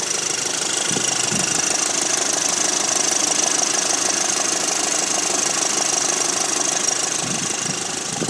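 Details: 2006 VW Golf GTI Mk5 engine at idle: fine, quick ticking rattle riding on a hissy background; the rattle's source is not identified.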